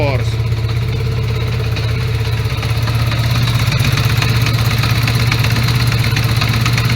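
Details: 1980 Honda Goldwing GL1100 flat-four right after carb sync, idle raised, not fully warmed up: lumpy uneven pulse that comes and goes as a cylinder drops out; intermittent misfire that nearly cleared once warm.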